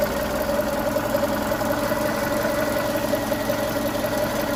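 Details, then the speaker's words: VW Golf Mk5 1.6 petrol after misfire repair (new plugs, coil pack, HT leads, and a fault in one injector's wiring fixed): steady, even idle with smooth hum, no stumble, running cleanly. "So, yeah, it seems to be running nicely now. Happy with that."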